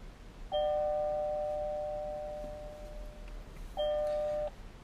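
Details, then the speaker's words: Beltronics GT-360 radar detector alert tone on the mild setting: two soft doorbell-like two-note chimes about three seconds apart, with no ramp-up for signal strength as the standard tones have. "if you prefer kind of a more mild sound which sounds kind of like a doorbell you can choose the mild option"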